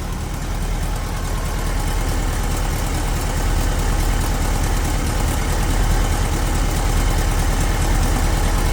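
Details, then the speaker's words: 1967 Volkswagen Transporter Camper, air-cooled flat four recently rebuilt, idling in neutral: steady even low thrum with a regular soft beat, no knocks or misses; running pretty smooth; normal idle. "Running pretty smooth."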